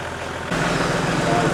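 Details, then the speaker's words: Range Rover P38 V8 after a crank pulley and water pump replacement: it catches and settles into a smooth, even idle with the earlier rough rattle gone; normal idle. "So before, it was sounding really rough, but now it definitely sounds a lot smoother."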